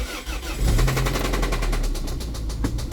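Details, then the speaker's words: Toyota MR2 engine that failed while driving on the highway, oil level fine but dirty: catches and settles into a loud, evenly spaced knock about ten a second over idle; serious internal engine knock, engine replacement planned. "oh my gosh knock knock who's there my MR2 oh my gosh it sounds so bad I checked it it's not low on oil"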